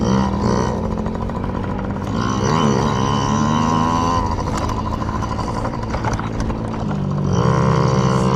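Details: Yamaha PW50 two-stroke warming up after carburetor clean for bogging and dying at wide open throttle: buzzy engine pulls cleanly through rising and falling revs, no bogging or cutting out.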